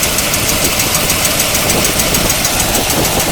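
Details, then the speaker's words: 1975 C3 Corvette V8, revived after 34 years, idling: light even tick about twice a second, possible slight miss; owner suspects exhaust leak or torque converter bolt, says not from engine, unconfirmed. "i think we have an exhaust leak it's hard to hear it something chicken but i don't know what it is"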